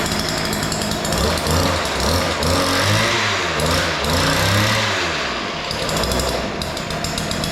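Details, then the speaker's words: Weedeater two-stroke yard edger after opening both carburetor mixture screws, which were far out of adjustment and too lean. It now starts easily and revs up and down cleanly with crisp buzzing pulls and no stumbling. "All right. So, that sounds pretty good. The uh screws were just way out of adjustment."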